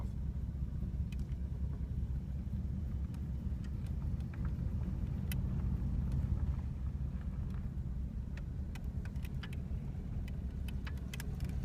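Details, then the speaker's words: 1985 Oldsmobile Delta 88, 307ci V8, idling on its own very roughly: deep uneven rumble with occasional sputtering cough, almost like a dead cylinder; vacuum leak heard, bad EGR gasket blamed for poor running; brake fluid spraying on exhaust manifold. "almost sounds like there's a dad cylinder"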